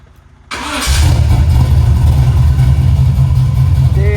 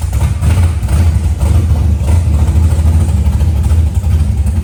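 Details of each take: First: Healthy dead-cold start on the car "Meech", a 4150 Summit carburetor engine, just after a new 225 amp alternator was installed: it fires at the turn of the key and drops straight into a deep, steady, even idle. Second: Car just fitted with a new 225 amp alternator, sat all day, started to check voltage: heavy, loud, unevenly throbbing low idle rumble; excessive engine noise, source unclear.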